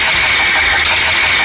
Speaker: The oil pump makes abnormal noise.